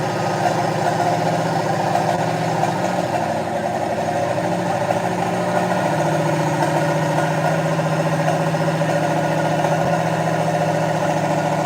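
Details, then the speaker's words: Project Mustang V8 that ran very badly and then stopped with a squeak, heard on a replayed recording: a loud idle with a lumpy beat and missing firing pulses. Owner suspected a timing problem but is unsure; the cause is unknown. "Sounds like it's missing. Well, and that's what I thought. I thought it was just a timing problem, but I don't know."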